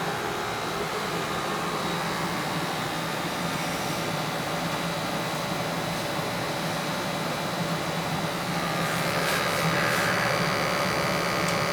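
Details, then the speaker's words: Newly installed 80+ gas furnace (replacing a 1960 unit), running a while in a 50°F house set to 70 during a combustion check: steady even rush of burner and blower, no surging or rattle; runs normally. "It's been running for a little bit here, picking up all my stuff."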